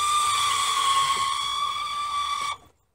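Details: 1999 second-gen Mitsubishi Eclipse GST Spyder convertible top: high steady squealing whine with fast ratcheting chatter as the top moves, stopping with the motor; left/driver's side only, about 75% of the time; owner suspects a broken pin in the gear drive mechanism.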